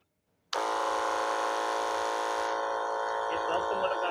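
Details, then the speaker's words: Battery sprayer pump with two motors: the bad motor spins up with a harsh, buzzing high whine and rough rattle; once opened it shows excessive shaft play and wobbles, while the good motor has none. "यह देखो दोस्तों इस motor में बहुत ही ज्यादा play ए चुका है और इस मोटर में कुछ भी प्ले नहीं यह देखो दोस्तों यह मोटर कितना हिल रही है"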